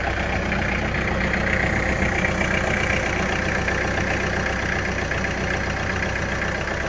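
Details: 2009 Kubota L4400E diesel tractor with front loader idling, hood open, while lift fluid leaks; steady, even diesel clatter with no misfire or knock; engine runs fine.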